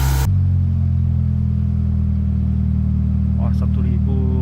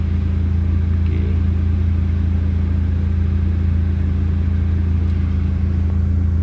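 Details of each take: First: Proton Waja MMC automatic, engine overhauled, ECU flashed, K20 coil-on-plug fitted, stored six years, aircon on: steady, smooth hum idling noticeably high; idle timing setting had drifted badly, fixed by resetting the idle tuning. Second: Proton Waja MMC automatic after engine overhaul, ECU flash and K20 coil-on-plug, high idle caused by drifted idle timing setting: after resetting the idle timing, steady even low hum with no misses, knocks or hunting; smooth idle.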